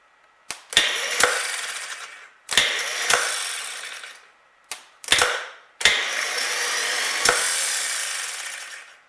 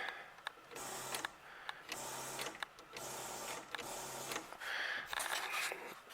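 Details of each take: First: 1938 Buick Special straight-eight with a no-crank complaint, rebuilt starter tested at 6 volts: four short bursts of clean whirring, each starting with a click and spinning freely; much better than before, and old grease or oil may have hurt the starter. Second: 1938 Buick Special straight-eight that runs but will not crank and must be pull-started: pressing the starter gives only repeated short low buzzes with no turnover; the starter does not engage.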